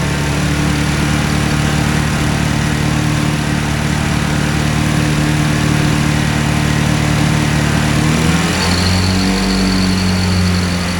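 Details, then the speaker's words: Hovercraft small two-cylinder engine: starts easily, idles with even low beat, then revs smoothly to about 2500 rpm; runs cleanly, normal running. "ignition on right starts up pretty [Music] nice wow famous last words"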